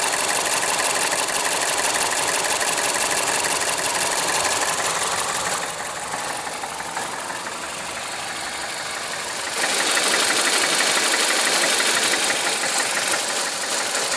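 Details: Mazda CX-7 2.3 Turbo running: steady fast ticking knock, about three per second, from the top end; engine knock, camshaft gear (actuator) suspected, unconfirmed.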